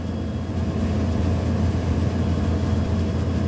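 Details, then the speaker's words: Vertiv Liebert PDX precision cooling unit, Copeland digital scroll compressor at about 50% with fan near 51%; steady hum with clicking back and forth as the solenoid modulates the compressor, normal operation. "so there is compressor doing its thing you can hear that clicking back and forth and it's this solenoid that does that"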